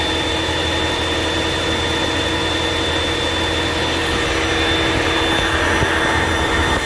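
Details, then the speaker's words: 2022 Ford Maverick Hybrid after repairing a broken factory power-supply cable from the rear battery that caused no crank, no start, no dash lights. Steady even hum with constant whine, no knocks or misses; normal running. "Well, now everything's working real good."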